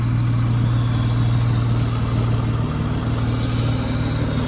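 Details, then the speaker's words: Car with 3.5 headers, borrowed battery, said to run and drive great: steady, even low rumble at idle with smooth regular exhaust pulse, no knocks or misses; healthy idle. "All right, that's her idling, which is pretty good."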